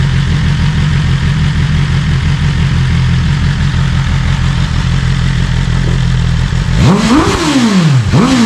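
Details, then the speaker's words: BMW S1000RR on its stock exhaust, already warm, with the exhaust butterfly valve stuck open after the actuator cables were disconnected. Deep, throaty idle, then a sharp rev blip with a heavier growl. "Already had it running, so it's got a deeper growl to it with the valve just open."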